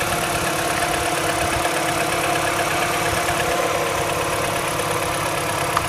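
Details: MINI with N12 engine at cold idle: steady busy ticking roughly two per second over the engine note; owner unsure whether this is normal for an N12.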